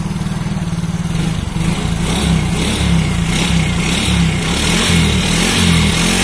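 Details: Yamaha Mio Soul GT scooter after replacing the cracked fuel injector seal, previously blamed with a leaking ISC sensor air hose for weak power, hard idle and stalling: engine picks up cleanly and holds steady revs with an even pulse; running normally, music in background.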